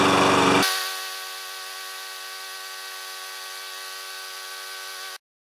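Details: Briggs & Stratton 7.25 HP mower that wouldn't restart when hot, after an ignition coil replacement, warm-up test run: a brief loud burst, then an even steady buzz with no misses or surging; normal running.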